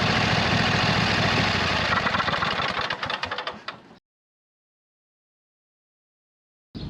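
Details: 26 HP Kohler V-twin on a lawn tractor, running just after fitting new OEM Kohler ignition coils to cure an intermittent one-cylinder misfire; steady, even running for a few seconds, then winds down and shuts off cleanly; not perfect yet but much improved.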